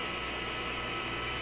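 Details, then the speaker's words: Telefunken Atlanta 101 AM radio with the outdoor antenna lead clipped on: steady hiss and buzzing hash, no broadcast signal; outdoor antenna picks up interference from nearby computer gear. "This is what it sounds like when you tune it. Doesn't matter where you tune it. It sounds like that. That kind of stuff. You certainly don't pick up a broadcast signal."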